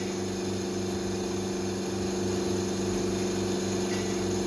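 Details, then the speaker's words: Carbonator pump running after the carbonator outlet is opened and the carbonator and filler equalise pressure, with the filler gassed to about 3 bar; steady even hum with a soft regular pulse, no knocking or squeal, normal operation while pressure builds. "You'll hear the carbonator is now running and the pressure pump is running."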